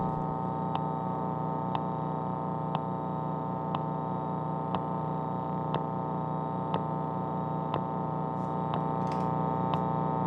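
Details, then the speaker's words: Fender Mustang V2 75-watt guitar amp with Shure SM57 setup, turned up: steady low hum with a sharp tick about once a second, cricket-like, louder when MT-2 pedal switched on; cause unknown, owner suspects mismatch or firmware. "if I turn it up you can probably hear that it almost sounds like a cricket or out in the forest somewhere like you're camping out out in the forest you hear lots of bugs making noises"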